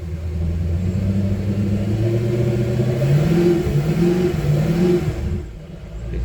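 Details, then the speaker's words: Port Mercury outboard on a Boston Whaler, revved in neutral with the starboard engine off, to check the throttle: revs climb smoothly and drop back without hanging or sticking; RPMs nice and smooth, normal revving. "make sure this bottle is working don't sound like she's sticking sounds good make sure see our RPMs here nice and"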